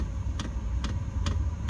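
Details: Hcalory 12V 5KW diesel air heater in a gym with upgraded fuel tank, heating. Steady low burner rumble with crisp pump tick about twice a second, evenly spaced: heater running normally.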